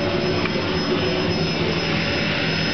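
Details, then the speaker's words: Vacuum cleaner with alternating power settings, running flat out: steady, very loud, high-pitched jet-like roar that holds level throughout; just a loud motor, with nothing else heard. "rocket the my God that's the loudest backing out that's the loudest vacuum cleaner I've ever heard in my life"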